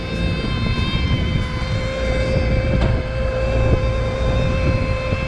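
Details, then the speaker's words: Rooftop package HVAC unit reported for a high-pitched squeak: a steady high-pitched whistle and hum over the unit's low rumble as air is pulled in along the economizer seam. "yeah so we're getting that that humming that high pitch noise here from the from the economizer like it's pulling in along this seam"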